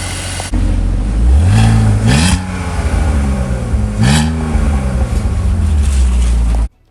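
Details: BMW X3 M54 after replacing two bad ignition coils behind misfires including cylinder 2: engine catches and settles into a steady, even idle with a couple of light revs, no stumble.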